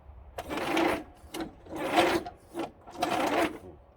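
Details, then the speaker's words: Mower engine cranking after sitting outdoors: crunchy, rasping bursts about once a second. A mouse nest in the engine cover has jammed the spinning top of the engine. "Sounds like something crispy in there. Oh. Perfect. Never-ending battle with mice. Let's see in there. There's a mouse nest in the top of the engine that spins, and that is jammed up now."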